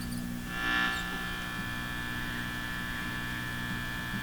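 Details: Hallicrafters TW2000 communications receiver after new power-supply filter capacitors: steady low mains hum with evenly spaced buzzy harmonics; the owner doubts the supply is the cause and suspects an open grid circuit.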